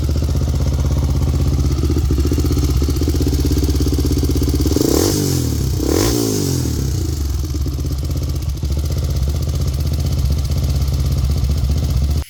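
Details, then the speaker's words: Honda 400EX single-cylinder quad after replacing parts for a suspected timing chain or tensioner fault: an even idle thump with a brief rev blip, smooth and healthy throughout. Running well after the repair. "Well, there you have it, guys. You can see it's running. Seems like it's running pretty good."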